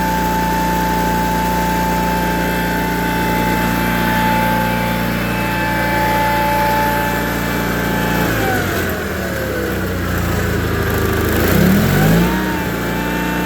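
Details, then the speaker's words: John Deere 318 garden tractor with Onan B43G twin after OEM points, condenser and full tune-up, timed, previously very rough running: steady even idle and clean rev rise and fall; normal running. "We put a set of OEM points and condenser in it, and ended up doing a full tune-up for the fella. And start this green beast up for you."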